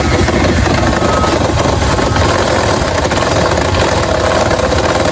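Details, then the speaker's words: 2022 Lander motorcycle: loud, rough, hammering clatter throughout the run, described as terrible; a heavy bottom-end knock pointing to worn crankshaft main bearings. "Não é brincadeira não, o barulho tá terrível mesmo, hein?"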